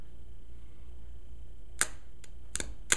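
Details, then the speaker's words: Trim tab hydraulic power unit: the solenoid valves click, but when power hits the motor there is no hum, only sharp electrical snaps. The motor is seized and sparking, a typical water-damaged pump that needs replacing. "motor doesn't turn just a big spark that's a typically water damaged pump"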